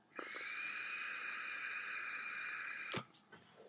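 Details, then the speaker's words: Kanger Subtank vape tank after about 2 weeks' use, airflow set to 3 holes: steady loud airy hiss with a thin high whistle during a nearly three-second draw, like sucking through a straw; cleaned, no debris found. "It's like I'm sucking through a straw. It's very, very loud. And as I say, it's too airy."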